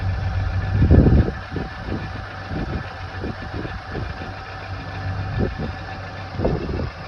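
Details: Renault Dokker engine after overhaul at 42,000 km: starter catches about a second in, then settles into a low, steady idle with no knocking; healthy start.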